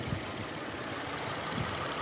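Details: 2005 Kia Sedona, warmed up: even, steady idle with a smooth hum and no squeak or chirp; owner concludes the squeak stopped because freon leaked out, removing pressure against the AC compressor pump.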